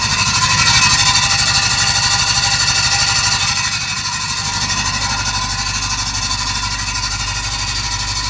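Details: Range Rover L322 automatic gearbox: a high, fast rhythmic squeak about three times a second over the running engine, cause unclear; the oil pump is fine and the truck drives forward and back.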